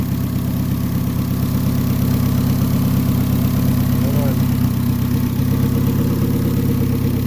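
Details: Honda D-series engine at its first start after fitting an ATI damper pulley and deleting the power steering: steady, even low idle with a smooth, unbroken rumble and no knocks, ticks or squeals; sounds healthy.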